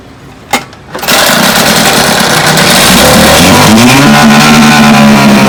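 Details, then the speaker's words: Vintage Johnson outboard misfiring at high speed, with a new tune-up kit and a freshly changed condenser. It runs with an uneven, stumbling beat, about 105 stumbles a minute, because the top cylinder is still missing. Owner suspects the new points. "so nope top call is still missing well i think i'm gonna go ahead and change the points i suspect the points is what's causing this even though it's a new set"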